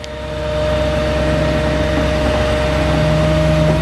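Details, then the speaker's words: 2004 Chevy C5500 rollback flatbed, 21-foot bed, PTO engaged with automatic high idle; even steady hydraulic pump whine as the bed runs back and lifts up and down smoothly, no issues. "See, the bed goes back. Lifts up and down just fine. No issues there."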